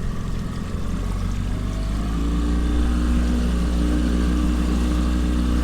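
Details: 2007 Smokercraft Phantom 18 on a water test, 2017 Yamaha 9.9 HP kicker pushing the boat through swell: steady, even low drone, pulling strong with no misses or knocks; the fuel-injected Yamaha 60 HP main has 212 hours, and both motors run great.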